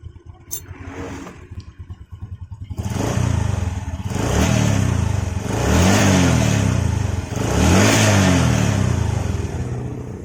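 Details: Honda Supra 125 single-cylinder motorcycle after repair of a stall-on-throttle-release and pinging fault traced to dirty valves: quick clean start, then smooth even throttle blips without misfire or clatter; healthy.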